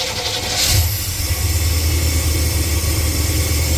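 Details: 1989 Chevrolet G20 van, just after fitting a new alternator: engine catches within a second and settles into a steady, even low idle with no bearing squeal or whine; charging rises to 14.2 volts. Normal start and idle.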